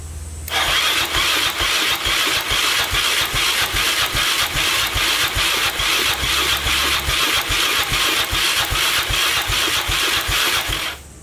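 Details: 2002 Yamaha Raptor 660 after timing chain and bent valve replacement, choked, first start attempt: sluggish even cranking about two to three strokes a second for ten seconds, never catches; starter turning it over too slowly to fire.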